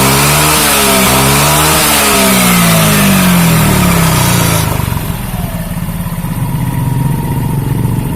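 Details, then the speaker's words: Automatic scooter after CVT repair for weak hill climbing and loud squeal under heavy load or with a passenger: rear wheel spun on test, engine revs smoothly back to even idle with no squeal or slipping; belt drive now healthy. "Sambil kita Rin belakang ya kita Rin belakang itu tidak ada lagi bunyi teman-teman"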